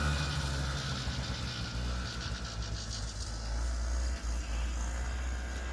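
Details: 1976 Yamaha GP300 two-stroke snowmobile, lightweight pull-start model, ridden around a pasture after 45 years: low two-stroke burble holding steady with small swells, no misses or knocks; running healthy.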